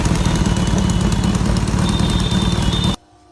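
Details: Kawasaki Z900 inline-four idling with a dense, even exhaust rumble and no separate knock or tap; earlier engine-knocking sound rectified with a new header gasket.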